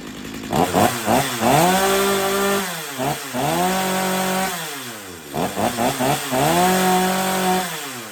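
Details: Stihl MS250 chainsaw after carb retune (previously warm-restart trouble), warm; crisp throttle blips climb to a steady high scream and drop to an even idle; tuner satisfied, running healthy.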